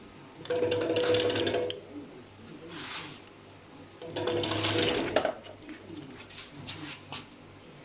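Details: E-bike kit with a new controller running in short spurts, a coarse rattly grind at low speed and low revs that stops when the motor stops; cause unknown.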